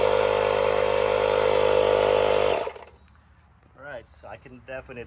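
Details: Hulkman Alpha Pro portable tire inflator on a 12V socket at 50% battery, inflating a tire; a steady, even buzzing hum with a clear mid tone runs a few seconds, then stops. Pumping normally, using about 1% of the battery.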